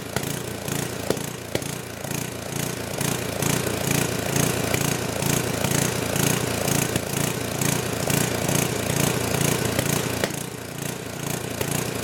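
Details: Old 10 hp gasoline generator converted to propane with an aftermarket LP regulator, choke open: the engine gallops at about two pulses a second with occasional sharp backfire pops; owner suspects it is running lean.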